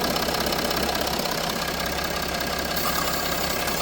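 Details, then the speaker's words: Range Rover Sport diesel at idle with the vacuum line to the leaking vacuum engine mount blanked off: steady, even idle, ticking gone, constant hiss remains; owner had been told it needed new turbo/engine. "So if we come over to the engine mount and blank off the vacuum to the engine mount, you can see it doesn't do it anymore."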